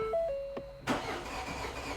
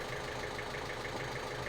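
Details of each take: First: 2015 Ford Fiesta 1.5/1.6 TDCi diesel, fault code P0340, no start after -10° cold with frozen coolant, camshaft sensor refitted: starter cranks several seconds, gives a kick to about 400 rpm, cam/crank sync reads on, but never catches; crank, no start. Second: Ford Fiesta 1.5 TDCi (2015) after repair of crank-no-start fault P0340 (broken part, roller bearings recovered): diesel now idles with an even, steady clatter, no misses or odd knocks; oil and filter still to change.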